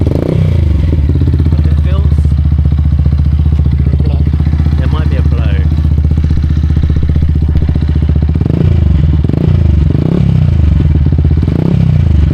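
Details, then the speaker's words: Neglected Yamaha YZF-R 125 being recommissioned, single cylinder idling: sharp puffing chuff at each firing; sounds good but definitely a blow from the end can, exhaust leak at the silencer. "Well, she sounds good, but definitely a blow from that end can."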